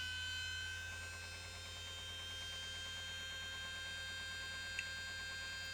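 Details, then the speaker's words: Panasonic AG-4700 (NV-HS1000) S-VHS recorder with a boot-sequence fault; power supply and main board were swapped earlier, and it was reassembled with its original front panel. A steady siren-like wail over mains hum at power-up, then an E9 error that recovers. "Let's uh see what happens that sounds like an air raid siren"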